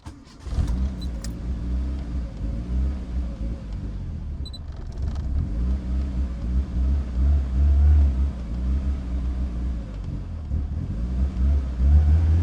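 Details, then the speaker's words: Built car on a freshly adjusted base map, battery going flat: soft, uneven rumble that surges and sags and never settles, like a bad cold start; won't idle or run unaided, cause not confirmed. "Um, can't get the car to idle. Can't get it to run. It's like it's on a real bad cold start."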